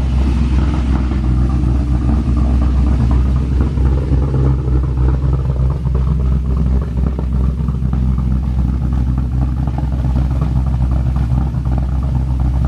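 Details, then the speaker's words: Boosted Pontiac GTO V8 after the EFI swap, fuel pressure set at 58.5 psi; deep, steady burble with even pulses, idling a touch high but smooth: normal idle. "sounds really good at an idle too it's idled up just a little bit high but it still sounds good"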